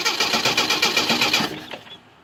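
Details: Jeep that is hard to start. The starter churns in quick, even chugs, about seven a second, then stops without the engine catching. Extended cranking with no start.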